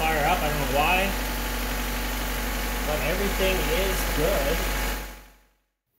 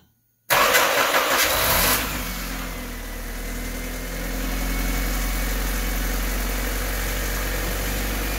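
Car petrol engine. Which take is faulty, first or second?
second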